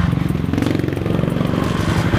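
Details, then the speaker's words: Used fuel-injected Raider 150 motorcycle being checked before purchase, started on one click. A steady, even single-cylinder thumping idle with no knocks or rattles: normal idle. "Yan. Pag pinaandar nyo itong motor na to, kailangan one click. Katulad niyan, yung in-start ko siya, one click yan."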